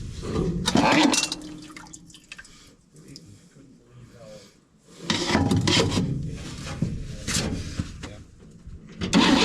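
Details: 1961 Chevy dump truck after battery replacement: repeated bursts of slow cranking with gaps between tries and no clean catch; long cranking, hard start, owner suspects old gas and carburetor needing work.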